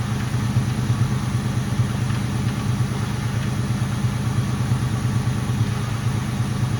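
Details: Mustang GT at idle after the power steering air bubble was fixed and the heater core was bypassed: a smooth, even, low rumble with no whine on top; the pump noise is basically gone. Normal idle.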